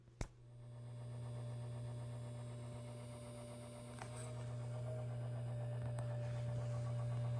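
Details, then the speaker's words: SAM Coupé floppy drive making a whirring noise: steady low hum with faint high whine, like the motor spinning freely with nothing engaged; owner suspects the drive belt gave up, not confirmed. "So yeah, it sounds like a motor that's just spinning freely."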